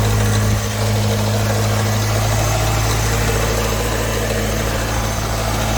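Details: 1989 Ford Mustang Foxbody convertible, 2.3L four-cylinder, 5-speed, during no-crank starter diagnosis: steady low idle hum with an even beat and no knocks, misses or grinding. The engine runs normally.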